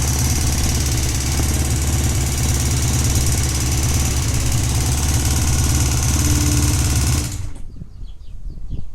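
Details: Honda CBX 550 F idling with a hard, fast rattling knock about three per second, noise coming mainly from the right side of the engine (seated on saddle); abnormal engine noise, undiagnosed.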